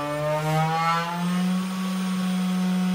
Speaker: exemplo nessa velocidade aqui ó eu já consegue trabalhar tranquilamente e como eu disse sem questão de ter aquele barulho